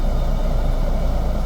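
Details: Car pulling away on an uphill slope as the clutch is slowly released to its bite point; deep, throbbing engine rumble firms up into a steady pulsing thrum as the engine loads, which is normal.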